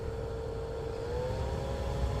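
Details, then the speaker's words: Truck with key on: smooth, steady blower-fan whir at low-to-medium speed with no ticking or scraping. The blower fan is operating normally. "So I got my key on. You can hear the fan, right? I'm assuming you can hear the fan."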